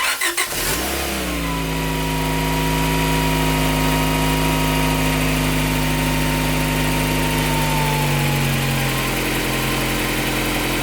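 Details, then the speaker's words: Honda Prelude 5G VTi, H22A5 2.2 VTEC, on its first test start; a fast idle with a steady rubbing whine as the timing belt walks off its pulley and rubs the balance-belt tensioner pulley. "Vous entendez ce bruit ? Pour moi, c'est signe que quelque chose cloche. Je constate alors que la courroie de distribution vient frotter contre le galet de la courroie d'équilibrage."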